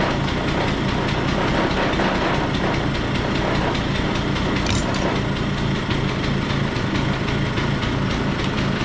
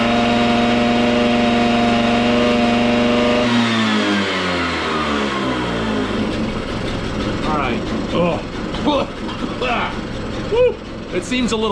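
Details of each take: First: Stella two-stroke scooter after cleanup, with the starter readjusted and the oil-filled airbox cleaned; before, it was hard to kick and ran poorly. Fast, even, buzzy idle with no stumbling: healthy idle. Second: Stella two-stroke scooter after spring cleanup and a replacement battery strap: buzz holds then sags and stumbles as revs fall; runs fairly well but boggy, sounds lean, carburetor to be adjusted.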